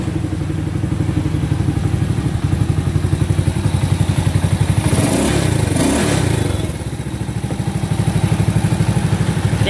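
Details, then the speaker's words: Honda SS50 converted to CL style, with an Alpha cylinder, idling with a fast, even ticking of about four per second over the thump. Loose rocker clearance; adjusting the two rocker/tappet heads under the covers should quiet it. "Xe này các bạn muốn im á, gỡ hai nắp chỉnh cò, mình tiết hai cái đầu cò, hai cái đầu xúc bắp lại tí là bao im luôn ha."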